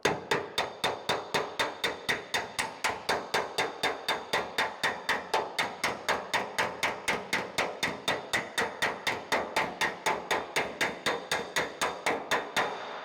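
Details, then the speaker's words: Mustang hood weld area already hammered and dollied, slapper used lightly over a dolly directly beneath for blending, not stretching: crisp, even metallic taps about four per second, consistent tone; correct blending technique. "So hopefully you can hear that, it's not too overwhelming, but I'm not really hitting it super hard. I'm more using just a little bit of the weight of the slapper and having the dolly right under where I'm working."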